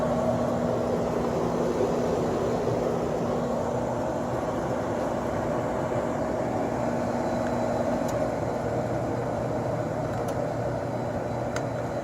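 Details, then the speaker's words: Sharp 10,500 BTU window air conditioner, cleaned, Samsung fan motor with oiled bearings, cooling after startup: steady even low compressor hum with fan air rush, no rattles or knocks; normal compressor operation. "compressor sounds great [Music] okay the compressor is pretty much evened out on this thing so this thing this thing's really good"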